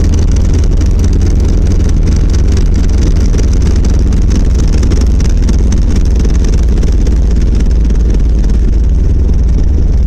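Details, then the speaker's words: 1990 Volvo 740 driving, heavy loud low rumble with coarse steady rattle and vibration, worsening over six months; after tune-up and suspected torque converter, inspection found driveshaft rattling from worn center driveshaft support and/or bearing. "But if this helps you diagnose anything at all, what I found out is that it is the center drive shaft support"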